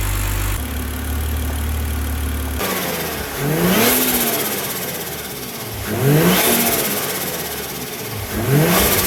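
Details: BMW E46 with bottom-mount turbo build, first cold start after ECU tune and adaptation reset: settles to smooth idle, then three clean rev blips climb and fall freely, no misfire or knock; healthy engine.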